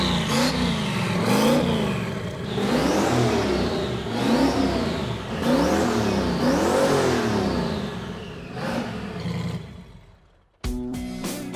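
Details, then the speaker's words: 1971 Datsun 240Z "Rotsun" turbo project car, first fire-up after the rebuild work: a rough, loud engine blipped repeatedly, revs sweeping up and down before it cuts off. It runs as expected. "okay it works it's just like I remembered it so crappy I love it"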